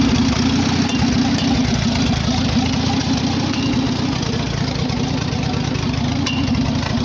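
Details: Farmall H tractor idling with a new proper exhaust pipe, after a carburetor rebuild that stopped a leak, and fresh oil: even, steady low putter with regular exhaust pulses, no misses or knocks; idling smoothly and healthy.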